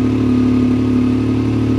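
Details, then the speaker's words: Salvage-auction vehicle started in neutral with the brake on: steady, even idle with a constant hum and no knocks, misses or rattles. Sounds good, a normal healthy idle. "hey it runs man wonder what it's doing here they had to roll it or do something sounds good sounds damn good"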